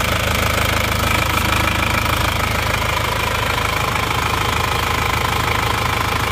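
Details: Isuzu Panther diesel brought from Solo, first start after engine rebuild with new liners instead of reusing old ones; even diesel clatter at steady idle, about two and a half beats a second, no knocks or misses; normal diesel idle.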